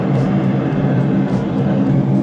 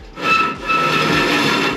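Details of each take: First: Blower after loose blower wheel repositioned on shaft and set screw retightened: even steady whoosh and low hum, no rubbing, rattle or wobble; unit running fine after repair. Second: HVAC unit fires and lights, then a harsh continuous scraping rasp surges as the blower comes up to speed; the blower wheel has come loose on its shaft and scrapes the housing. Fix: loosen the set screw and reposition the wheel.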